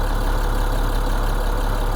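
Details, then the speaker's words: International DT466E diesel after the BMAX buzz test and injector calibration, at cold start (coolant 70, oil 71). A steady, even low rumble with no misfire or vibration; ICP 862 and oil pressure 55. The cold misfire is fixed. "Como prende eso, serenito, sin vibración."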